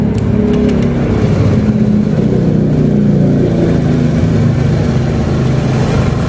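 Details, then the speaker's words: Honda Beat ESP scooter that was totally dead, after replacing the fuse and the SCM: engine starts and idles steadily with a smooth low drone, no misses, knocks or hunting, and no MIL blinks; normal idle. "nah ini sudah hidup Ya sudah normal"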